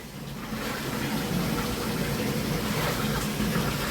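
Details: Toshiba top-load washing machine after repair (previously drained water right after starting instead of holding it), cleaned and reassembled: water rushes in with an even hiss that rises then holds, then fill cuts off cleanly; normal fill.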